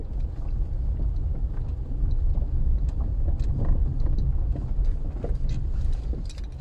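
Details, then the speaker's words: VW Polo driving over bumps after steering rack repair: dull, irregular knocks over heavy road rumble; worn stabilizer link knock. "так вот забегая вперед скажу что так Стучат стойки стабилизатора"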